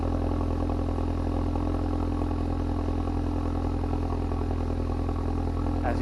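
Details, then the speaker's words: Ford Focus RS at cold idle: a steady, unchanging low droning hum and loud booming exhaust note, with the exhaust valve open after startup. The owner says it sounds bad from outside the car, which is why he wants the valve delete plug. "See that's the sound I was talking about. Obviously, it doesn't sound too good when you're outside the car, so that's the main reason why I wanted to get the delete."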